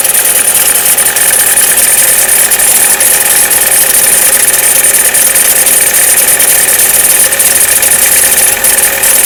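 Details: Chevrolet Cruze cold start below 0 °C: thin metallic ringing and light irregular ticking over a steady idle, fading after about a minute on the cold engine; none at 0 °C and above; cause unclear.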